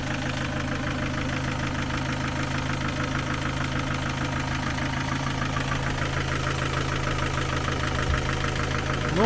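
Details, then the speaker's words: Ford Focus 2 engine idling after partial teardown and valve clearance adjustment with shims, some clearances still out of spec; steady idle with a light uneven ticking knock about three times a second; valve tappet knock from incorrect valve clearance. "В общем , я частично разобрал двигатель, чтобы измерить зазоры которые не соответствовали норме, фактически не были отрегулированы, поэтому они по-прежнему издают тот же стук, что и раньше."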